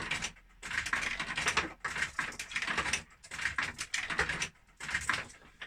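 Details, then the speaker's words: JPM Casino 5 Liner fruit machine: repeated bright metallic clatter as coins drop straight to the bottom; machine not floated correctly, so it wrongly reads the hopper as full though it is nowhere near full. "I'll leave that for now because it's not floated correctly, this machine, so you could hear the money was dropping right to the bottom there, so it thinks the hopper's full inside, but it isn't. It's nowhere near full."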